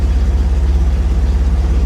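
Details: 1963 Corvair with intermittent power-loss electrical issues, running over an hour: rapid even low throbbing about fourteen pulses a second at idle in drive, not in neutral; abnormal noise, cause unknown.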